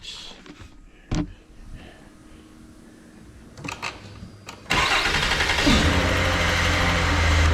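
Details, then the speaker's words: 2009 Mercury Milan 3.0L after starter replacement (old starter cranked slowly): new starter spins the engine over briskly and evenly after a few clicks and thumps, engine catches and settles into a steady run; problem fixed. "Alrighty, it seemed to have fixed the problem. I slipped on the last one, and that starter is definitely spinning the motor over a lot faster than the old one."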